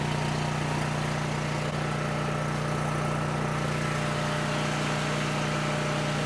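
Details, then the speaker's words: Coleman Powermate 6560 generator, after the fix for running only on choke (carburetor gaskets had been in the wrong order; oil was overfull and smelled of gas), under a 1000 W heater load: steady, even hum, constant pitch, no surging or missing; normal running. "And like I said, I'm going to try to adjust this bolt back here to get me as close to 60 hertz at 120 volts with a load on it as I can get."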